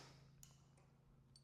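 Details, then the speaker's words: Suzuki GS750 motorcycle with new battery, after sanding the flasher contact points: faint, crisp relay clicks over a low electrical hum as the blinkers flash; normal flasher clicking. "And let's see if we got blinkers. Oh, look at that. I am an electrical genius."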